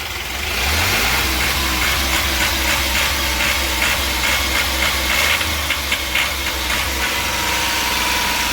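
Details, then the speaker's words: Ashok Leyland Dost small diesel revved with jerking and misfire, not reaching full revs, no scanner code; stumbles unevenly under throttle. The crank sensor was found faulty and replaced. "और गाड़ी में जो है झटके लेने की problem थी। Missing कर रही थी गाड़ी। फुल रेस जो है वो नहीं ले रही थी।"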